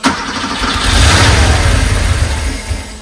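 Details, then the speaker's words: 1982 Porsche 911SC Slantnose flat-six, garage find, after fuel distributor cleaning, new plugs and fuel filter, jump pack: catches quickly, flares, settles to even idle without misfire; healthy start though smoking, burning oil. "Man, that sounds good. Yo, this thing sounds so good. Oh my goodness. This thing sounds so good."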